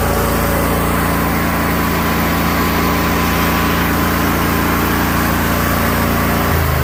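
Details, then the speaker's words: Craftsman DYS4500 mower with a 22 hp Briggs & Stratton Intek twin, after replacing a split fuel pump pulse tube that caused the no-start: starts right up and holds a steady, even twin-cylinder drone with no stumbling or surging. "started right up I figured it would"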